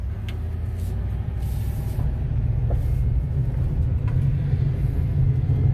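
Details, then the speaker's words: 2006 Chevy Impala rolling along: steady low rumbling drone with a rough undertone that swells slightly, described as wheel grinding; faulty wheel hub assembly, to be replaced with a new hub. "it i don't know if you guys are able to hear that but you could definitely hear the grinding so we're gonna be fixing that today"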